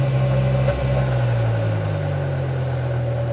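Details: BMW E60 M5 S85 V10 idling during a VANOS bleed and test after new solenoids were fitted: steady, even low hum with no knocks or misses; no variable camshaft timing fault detected.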